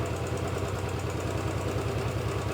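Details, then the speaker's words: Royal Enfield Bullet 500 B5 single-cylinder, after rebuild and rocker covers refitted, warm idle after 10–15 minutes running: light regular tappet tick over engine thump, quiet when stone cold; screwdriver locates it worst on the extremely warm pushrod, whose end is worn eye-shaped; parts to be ordered. "it's slightly better than it was but put a screw driver to it it sounds the worst on this push rod which was the one that was extremely warm"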